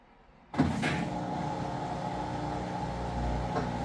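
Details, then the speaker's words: Amana/Whirlpool top-load electric washer after belt conditioner fix and recalibration, empty drain-and-spin: smooth motor whir rising with drum speed, screeching gone; normal spin. "there you go that's what it should sound like running empty no more ticked off Eagle screeching sound"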